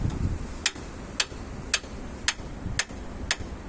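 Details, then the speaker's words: Multi-split air conditioner indoor unit running, low fan hum with sharp evenly spaced ticks about twice a second: periodic knocking from the indoor unit's drain pipe, worn through by rubbing and loose or slipped off. "кондиционер издавал периодически при работе в результате разборка решеточки был выявлен вот такой это патрубок сливной с верхнего блока"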